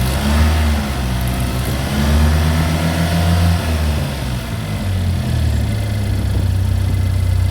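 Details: Chevy Equinox after an engine replacement, first start-up: low hum settling into an even idle with small speed changes, no knocks or misses. Healthy running engine.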